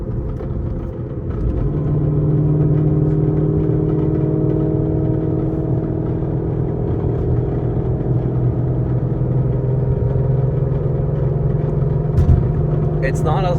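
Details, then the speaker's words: Whipple-supercharged S550 Mustang: steady engine drone with a light, irregular rattling underneath from the failing manual transmission, heard before it is replaced; internal transmission rattle. "loud as it could be, but you definitely hear it like rattling around slightly."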